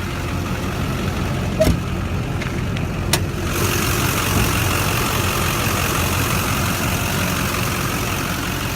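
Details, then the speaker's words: 2001 lowered Duramax diesel gives a few handling clicks, then a steady, even idle clatter with a faint compressor hum. The idle is healthy, and the owner reports no issues ever. "Good running truck. Never had any issues with this truck, never once."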